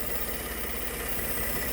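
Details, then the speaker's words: Ford F150 EcoBoost, rough-running after a wreck: steady airy hiss over a low, even idle from a vacuum leak where a vacuum canister was punctured in an awkward spot; brake booster initially suspected. "you can hear a vacuum leak. You might have already seen the issue, but it's very difficult to see this because it is such an awkward spot."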